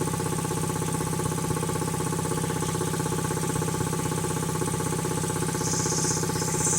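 Steady, even pumping beat near three per second over a smooth hum, no knocks or squeals; the compressor is running healthy.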